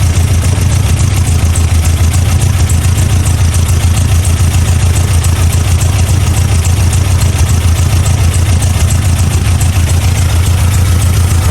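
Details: 1987 Toyota Pickup 22R four-cylinder, carbureted, deep even idle with no skips after plug check and timing adjustment, following fuel pump and carb gasket replacement fixing vacuum leaks; running on all four cylinders again, timing correct, idle set just about perfect.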